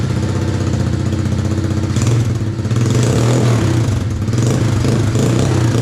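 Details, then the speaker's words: RFZ 125cc dirt bike with swapped motor and replaced carb (old choke stuck, hard starting), first kick start with choke on: crisp single-cylinder putter that revs up cleanly and settles without stalling; runs healthy, only the gas tank still needs securing. "Oh, that sound good."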